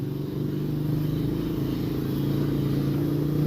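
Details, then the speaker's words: Scooter that ran out of oil and stalled twice, started after refilling: rough, uneven low rattle over the idle, very noisy, suggesting internal damage from oil starvation; mechanic says regular oil changes are needed. "Okay so mga kork ito na po yung anoo na po yung ingay Ayan napakaingay so ayan sama-sama na problema na yan"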